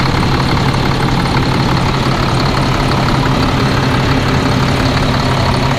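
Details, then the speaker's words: Cat C7 diesel just fitted with a new turbo after smoking, cutting out and a suspected dead cylinder; steady even idle with smooth low rumble, no knocks, misses or whistles, running healthy. "yeah everything seems to be uh you doing good sounds good"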